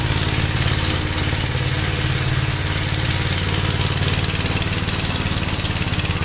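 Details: Gravely tractor with brush hog mulcher deck, PTO engaged after remounting deck and adjusting clutch: even, steady engine drone with blade spinning, no shake, knock or wobble; runs really smooth, no vibration. Normal running.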